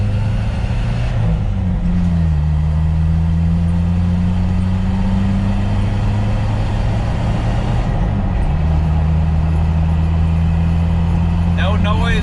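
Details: 1997 Jeep Wrangler in four-wheel drive high after Dana 30 front differential rebuild with new bearings and shims: steady low engine and road drone, clean shifts, no whine or howl from the front axle.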